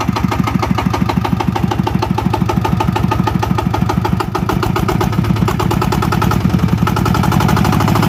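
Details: VST Shakti 165 DI power tiller engine, hard starting: slow, heavy, uneven drum-like thumping around three beats a second; sunk exhaust valve leaking compression plus faulty delivery valve.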